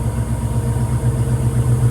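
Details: 1972 Ford Mustang convertible after rewiring the tachometer: deep, even idle with a smooth steady pulse and no knocks, misses or squeals, idling healthily.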